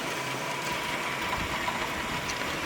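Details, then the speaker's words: Rock-Ola 477 jukebox with the freshly cleaned mechanism reinstalled and tonearm spring tension being adjusted: dense mechanical ratcheting and whirring as the changer cycles right after switch-on, wanting to play a record uncommanded; may be a normal feature. "it seems like soon as you turn it on it wants to play a record uh it might just be a feature of this of the rock-ola i'll have to read up on that"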